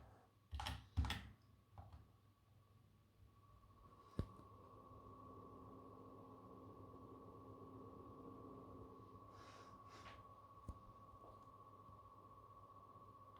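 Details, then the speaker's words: PS5 Pro (CFI 10 unit, firmware 2.70) starting a game. A soft, steady fan hush with a faint, thin, level whine near 1 kHz: normal, fairly quiet fan noise with slight coil whine. "Yeah, this one is also not that loud. I know that it is also okay for most of you."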